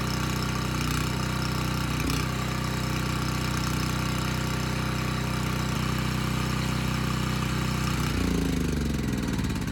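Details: Abandoned Powermate generator on its carburetor, started first pull: even, constant-speed drone with steady pitch and no misses or knocks; smoke cleared immediately, about 62 Hz, voltage too high; normal running.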